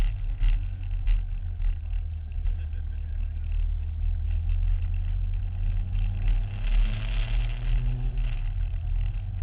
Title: Promotive R1 Mini Engine problem - Any ideas what it could be?